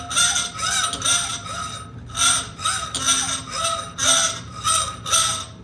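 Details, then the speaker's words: Hacksaw cutting through metal stock: even rasping strokes about two per second with a bright scratchy edge. The pitch drops as the remaining surface area shrinks, a sign the cut is nearly through and strokes should slow. "listen to the tone change from a high pitch and it will start getting a lower pitch [Music] it's getting lower pitched because there's less surface area now and that's a good signal to let me know i'm getting close to getting through"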